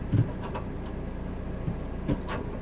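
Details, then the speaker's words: Fiat Punto Dualogic hydraulic gearbox, TCM code P060C, after clearing codes, engine idling: low steady idle, then a sharp thump as gear engages; harsher than before, grinding as if the clutch isn't fully disengaged. "is engaging but really harsh okay so hopefully you heard that was engaging now he is really harsh yeah is even harsher than before but you heard the gearbox grinding as if the clutch is not completely depressed"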